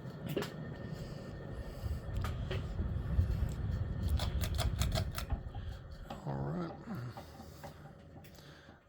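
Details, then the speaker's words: 1985 Fasco Charleston 52-inch ceiling fan with a 0.9 A motor on a long downrod: a low, steady hum with irregular light clanks about three a second from the loose ball socket at the canopy mount. "claing sound that you here is off the canopy or actually the ball socket itself"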